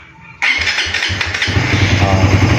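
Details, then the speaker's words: Suzuki Raider FI 150 after an ECU reset, push-button start: the starter churns quickly for a second, then the engine catches and settles into an uneven, rising idle. Slow start, as expected after the reset. "So pag nagpindot ka ng push button is hindi talaga siya aandar ng agad-agad. Kasi nga nag-refresh tayo, nag-reset tayo ng ECU sensor."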